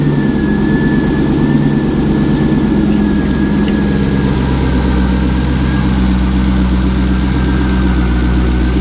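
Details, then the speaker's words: LS2 V8 with 112,000 miles, tuned to idle about 700 rpm, started cold after three days sitting (coolant 55°, oil 40°, oil pressure 34 psi): low, even burble, no knocks, ticks or rattles; healthy engine. "so it's been sitting here for like three odd days without starting and it will start up no issues and make no noises"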